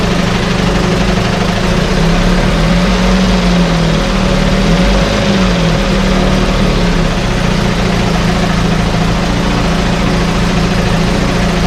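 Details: 1968 Evinrude Fastwin outboard in test tank, out of gear, no load, untouched, Sea Foam in fuel, no cold-start cough: even steady low burble, no misses, surging or knocks; normal idle.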